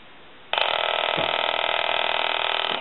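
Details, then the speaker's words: Takara French-style rotary desk telephone after repair: rapid, even mechanical buzzing rattle about two seconds long from its solenoid ringer (no bell); normal ring. "since this telephone is so small they do not have a bell in it they have a solenoid that gives a mechanical kind of a knocking or buzzer sound"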